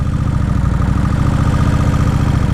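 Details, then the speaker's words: 2003 Kawasaki Vulcan 1600 V-twin on fresh gas, stock exhaust: lumpy, uneven idle beat that swells and sags; no vacuum leaks found, cause unknown; idle surging. "There she's surging again."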